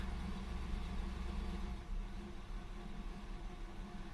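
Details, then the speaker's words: Oldsmobile 403 V8 in a G-body that won't idle and sounds like it's running on 4 cylinders, though it revs okay above 1,000 rpm; carbon canister/tank vent left disconnected. Sounds somewhat better but still really rough, with an uneven, lumpy rumble that never settles. "It already sounds better, sounds a little normal. Still not completely convinced. It's really rough. It is really rough."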